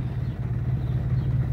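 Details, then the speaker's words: Used Pointer 1.8, possibly cold engine: low, lumpy idle of about 800 rpm with irregular firing, shaking badly, and starting is affected too. "Si se dan cuenta, vean cómo hace el motor, muy tembloroso, muy pues prácticamente en el arranque también afecta."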